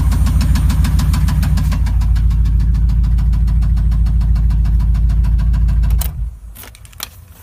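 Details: 5.7L engine: loud, regular deep knocking about three and a half per second over a rough idle until shutdown, rod knock.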